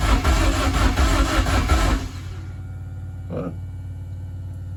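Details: BMW E30 rally car with freshly fitted M44 engine, another start attempt after plugging in a connector: starter churns at about three beats a second but engine never fires; cranks, won't start.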